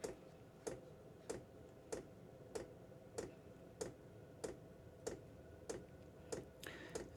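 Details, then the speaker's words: Chinese diesel workshop heater starting up, about two minutes to fire, combustion chamber warming: crisp, evenly spaced ticks roughly every 0.6 seconds over a quiet background; normal fuel dosing pump ticking. "you can hear the chamber starting to warm start to fire this little tick in is constant"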